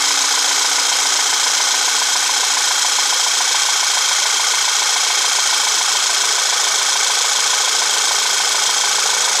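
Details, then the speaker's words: VW CC Sport after P0300 misfire repair, intake and valve cover reinstalled, fresh synthetic blend oil: smooth steady idle, even hum with no stumble or skipped beats, no check engine light, runs fine. "No check engine lights or anything's on, and again, it starts up and runs just fine."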